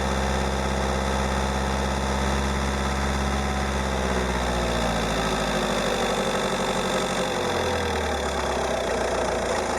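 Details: Peugeot 308 1.6 HDi 90hp diesel, 30 months old, 66,000 km: light rattling clatter over a low drone at cold idle around 820–825 rpm; the tone shifts midway as the speed changes. Owner reports no more noise from about 880–900 rpm; cause unclear.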